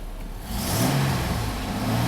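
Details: 2002 GMC Sonoma V6 with long crank and low power, after the fuel pump had been changed five times: it sweeps up cleanly to a steady high rev with no stumble or misfire. Fuel delivery is healthy.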